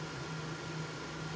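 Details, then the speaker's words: Prototype Xbox 360 XeDK after CPU replacement by BGA rework, running the light shafts GPU test at about 100 FPS: even fan whoosh with a faint thin coil whine that changes under GPU load; the console is running normally. "You can hear, I don't know if it's coming through on the camera, but I can hear the coil whine change now that the GPU is under more load. But yeah, seems to be working."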